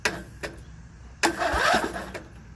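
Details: Used Craftsman riding mower, no-crank/hard start with spark plug in, belt removed, safety switches bypassed, new battery: starter turns a few laboured strokes then stalls against compression, starter and relay get hot; malfunctioning camshaft compression release causes excessive compression.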